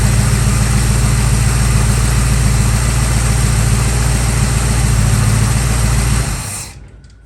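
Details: Steady, even V8 idle with a smooth low rumble and no misses or knocks, then shut off; 1965 Nova wagon after swapping two-barrel Rochester for Holley 600 cfm four-barrel and Edelbrock aluminum intake; throttle response restored, belt slightly loose.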